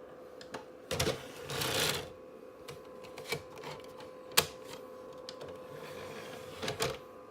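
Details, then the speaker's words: PS2 console disc drive with a disc inserted: steady mid-pitched whir with irregular sharp clicks and a brief rattling burst; owner doesn't know the cause of the vibrating noise. "if anybody knows what this vibrating noise is please tell us in the comment below"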